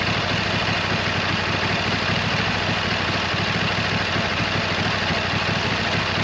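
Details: 26 HP Kohler V-twin lawn tractor just after brand-new original-equipment Kohler ignition coils replaced cheap aftermarket ones. A constant, even putter with no surging or misfire: much improved and running well, though not quite perfect.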